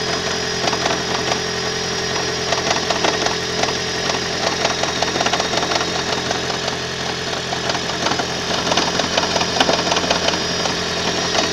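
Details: 2012 Toyota Prius 1.8 facelift, 32,000 km: fast, uneven rattling knock over a steady hum and buzzy vibration at idle; engine knocking, cause not yet pinned down.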